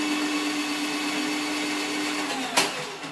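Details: Tacklife drain-cleaning auger, likely running forward: a steady, even mid-pitched motor whine with no roughness, then a sharp click as the trigger releases, likely the return spring; the motor sounds healthy.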